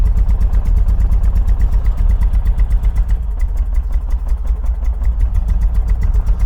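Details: 1980 MGB after oil, filter and spark plug change and tappet adjustment, running on stale fuel: starter turns it evenly but one stroke comes up soft; still low compression on one cylinder.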